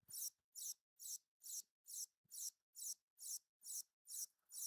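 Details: 1982 Philips Videopac G7000 power supply on the bench: a thin high squeak pulsing about twice a second, like a slow printer, as the supply keeps restarting (hiccup cycling); the transformer switching stage is suspected.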